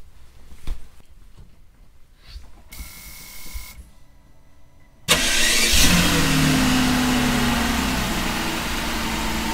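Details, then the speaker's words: 2001 Mercedes S600 after ABC valve block replacement and a fluid refill, engine fired with the cover off: it catches cleanly into a smooth, even idle, no leaks, and the car raises itself. Normal start and idle. "well the good news is that uh we don't seem to have any more leaks and as soon as we fired the car up she raised herself up"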